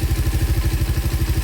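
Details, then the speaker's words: Raider 150 Fi on a stock ECU taken from another motorcycle, ECU swap test: warm single-cylinder idle settles at once to a steady, even low thump with no hunting or stumbling; healthy idle. "Pansin nyo, steady na siya sa 4 agad. Nainit yung makina."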